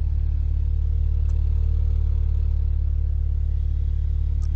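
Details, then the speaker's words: BMW Z4 35i (same engine as N54 335i), after cleaning the VANOS actuators and an oil change, idles with a low, steady, even rumble and no stumbles. Previously it idled rough and chugged with reduced power. Normal idle. "took it for a quick Drive idle is nice too steady and flat"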